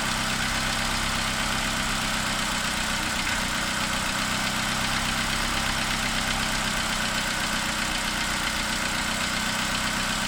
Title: Opel Corsa D 2009 1.2 Z12XEP noisy tappets? Tapping/clicking sound on start, worse when cold